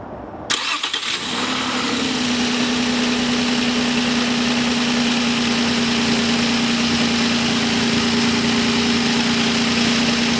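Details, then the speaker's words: 1997 Nissan Maxima started after PCV valve and rubber hose replacement as a final check: starter crank, then the engine catches and settles into a steady, even idle with a smooth drone, no misses or knocks, normal idle. "and then of course as a last step just start the car and make sure everything is in good"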